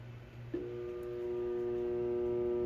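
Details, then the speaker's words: Garbage disposal switched on: steady electric buzz with no spin-up; the unit is stuck and not turning, nothing lodged in the blades, a jammed disposal with its motor stalled. "and if you can hear there's a buzzing noise now because the garbage disposal is not working or not even turning"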